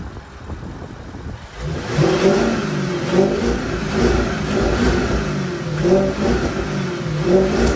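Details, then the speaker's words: Audi S5 B8, naturally aspirated 4.2 L V8, stock intake before installing the APR cold air intake: deep V8 rising and falling smoothly through several blips, no knocks or rattles, not too loud; normal revving. "so as i'm sure you can tell or as you can hear it's not too loud from as far as engine noise so hopefully this will make it a little bit better"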